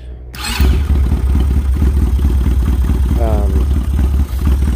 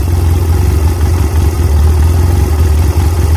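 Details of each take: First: Chinese 250cc ATV (Kazuma/Taotao type) not run in about 10 years, original carburettor: single-cylinder thump catches quickly and holds a low, lumpy beat only on full choke; won't run on its own mixture, carb suspected. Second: Chinese 250cc ATV (Kazuma/Taotao type), not run in about 10 years, after cleaning junk from the carburetor main jet and adjusting the air mixture screw out until it wouldn't cut off: steady, smooth single-cylinder idle with no stumbling, holding a good idle.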